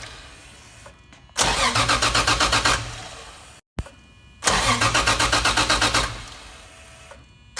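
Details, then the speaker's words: Toyota JZX110 stock 1JZ with top-mount Holset HY35 single turbo: two bursts of starter cranking at about four compression pulses a second, with the igniter chip unplugged so it cannot fire, to get oil pressure to the turbo. "So right now we're just about to crank it without the igniter chip plugged in, so we can just get oil to the turbo, make sure we're getting pressure."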